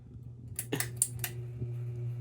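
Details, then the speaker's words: Hampton Bay Littleton ceiling fan after reversing direction loosened the housing, switched back to forward: a few sharp clicks, then a steady loud low hum as the loose housing buzzes. "and yeah the Littleton is not enjoying this it's actually humming loudly"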